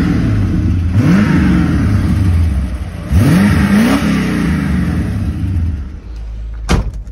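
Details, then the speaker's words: 1985 Mercedes 500SEC Euro V8 with new catalytic converter: steady idle then two smooth, clean revs rising and falling evenly, no misfire, rattle or exhaust blow; normal rev. "sat idle and it's steady. I hear it rev a little bit."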